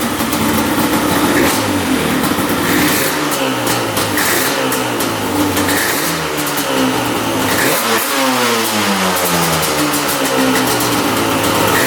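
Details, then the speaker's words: 1995 Yamaha Banshee 350 two-stroke twin, after 18 years in a barn, spark on both plugs, air screws 1.5 turns per carb: revs up and drops back cleanly, no bogging or misfire; healthy running. "oh there we go we got idling perfectly now one and 1 half turns on the air screw for each carb oh yeah that sounds really really good"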